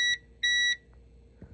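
A short high beep, then a longer one, over a quiet room: the UPS alarm signalling it has switched to battery power.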